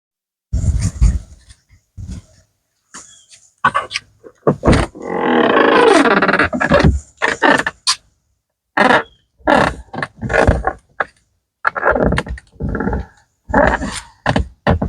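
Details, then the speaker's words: 2015-2019 Ford F-150/Super Duty truck door swung open and shut: loud groaning creaks and moans in repeated bursts from the hinge; white lithium grease and other lubricant did not help. "yeah it sounds like a haunted house the creaking and moaning I mean it sounds like a 1970s model truck"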